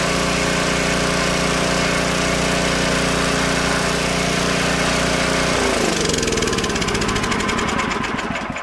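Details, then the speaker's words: Old Tecumseh-powered generator revived after years outdoors, choke off, fan plugged in as load: steady, even small-engine drone at constant speed, then a smooth wind-down; runs fine and puts out 115 V, though it needs slight carb tuning once warm. "Well, just need a little bit of carb tuning once she warmed up there for a second."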